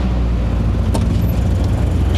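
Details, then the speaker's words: 1972 Toyota Celica 18RG with rebuilt twin Mikuni 40PHH carbs, cold day: a low, even rumble at about 800 rpm with no stumbles. The idle is normal but slightly low; owner thinks ignition timing may need adjusting. "It's a pretty damn good idle. It's like 800, so it's a little low, but it sounds nice."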